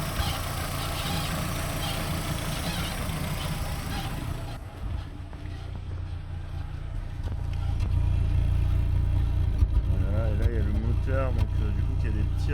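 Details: Renault Twingo engine running with an uneven stumble roughly twice a second, then a dip and recovery; water seen at the exhaust, owner suspects it stalls through the exhaust pipe; misfire, cause not yet known.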